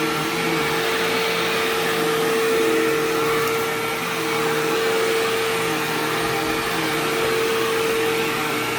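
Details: Sharp Twin Energy vacuum cleaning living room: steady piercing high whine/squeal over motor roar; owner notes it faded after running a while and partly returned after shutoff, cause unknown.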